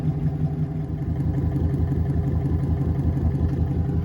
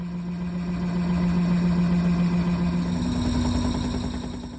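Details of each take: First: Boat electric motor conversion driving a straightened propeller shaft after alignment adjustments: even low hum with a steady soft pulse about three per second, no bounce or knock; shaft vibration, previously nearly 2 mm, is eliminated. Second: Sailboat electric drive motor, replacing an old Atomic 4, at higher rpm: a hum stepping up in pitch with fast light clicking. The shaft is aligned but a slight wobble shows at the tip, which the owner fears will wear the motor bearing.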